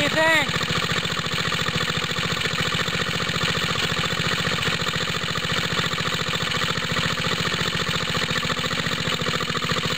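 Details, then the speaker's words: Water pump rig engine, cold start with choke on, straight 30-weight oil, new exhaust tip; smoke from side of head, owner thinks head gasket leaks and it sounds throatier, losing compression: fast, slightly uneven rough chuffing idle; head gasket leak. "Like I was saying, is there's a, I think a head gasket leak right around here. I keep seeing smoke coming out of here. Almost sounds like that makes it throatier."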